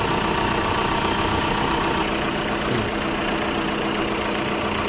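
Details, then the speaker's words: Tata Safari diesel after alternator clutch pulley replacement, idling with AC and headlights on: steady even idle with no growl, the earlier rumbling from the engine bay gone; alternator tests good at 13.7 V. "इसका मतलब हमारा alternator बिल्कुल okay है engine में जरा भी sound नहीं है जैसे पहले घड़ घ घ करता था"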